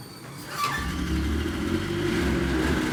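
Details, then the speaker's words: Yamaha RS Viking snowmobile before carb cleaning: blocked pilot jet starving cylinder number 3, won't run without choke; engine catches but runs lumpy and stumbling with one cylinder not firing; misfire from blocked pilot jet. "Okay, it's got a blocked pilot jet. So I'm getting no fuel to cylinder number 3. It won't run without choke, and even then it don't run very well."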